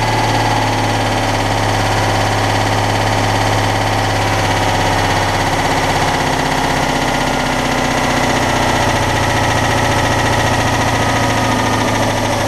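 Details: Citroën Dyane 6 air-cooled twin after its carburetor was cleaned and all jets removed and cleaned. It had been cutting out at idle, and the owner suspects an air leak at a gasket. Now a steady, even low putter with no hunting: normal stable idle.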